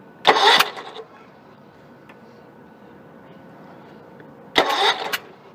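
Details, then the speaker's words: Small 4-stroke engine with the spark plug removed and a finger over the plug hole, turned over to find top dead center: two short hissing bursts about four seconds apart as the cylinder comes up on compression. "So we know we're on the compression stroke when it tries to blow your finger off the spark plug hole."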